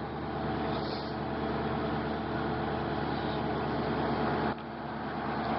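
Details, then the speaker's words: 1997 Mercury Mountaineer AWD, 5.0 L V8, 135,000 miles, just started in cold weather: steady, even idle with a smooth low rumble and no knocks, ticks or misses; normal warm-up idle. "Start it up. Listen to it run a little bit. Still a little bit cold out."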